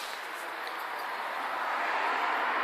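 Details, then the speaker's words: Worcester Greensource 6 kW air-to-air heat pump outdoor unit on heating, mic held close: soft, even fan hiss with no hum, rattle or knock; very quiet, healthy normal running. "Very, very quiet. You'll be able to hear how quiet it is."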